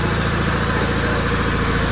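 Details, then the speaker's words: 1987 John Deere 318 with Onan P218G engine, about 1200 hours, first run after starter replacement: even, low drone with no whine on top; hydrostatic transmission quiet and normal. "That hydro's quiet, I can't even hear it."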